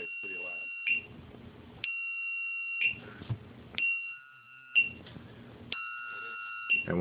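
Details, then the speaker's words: Lost-model beeper on RC plane rudder servo channel: loud shrill beeps about a second long every two seconds after 60 seconds of servo inactivity, audible 300–400 ft away; moving the rudder shuts it off. "now some I flown with it yesterday and some at the park wasn't annoyed by the sound cuz it's pretty loud and you can hear it good 3 400 ft away and even in flights from 300 ft away"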